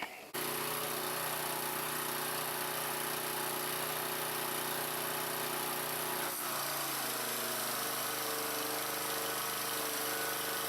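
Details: Troy Bilt pressure washer test run after a pump replacement: the small engine starts and settles into a steady, even drone with pump hum, no knocking or surging; it runs normally.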